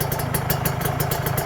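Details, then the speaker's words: Rebuilt Kawasaki Ninja 150 two-stroke with ported block: steady, even idle with crisp regular exhaust beat, no whine, no ticking or rattle; normal healthy idle. "primer sekundernya normal ya gak ada ngung ya sip enggak ada kemeletek sedikit pun ya halus ya"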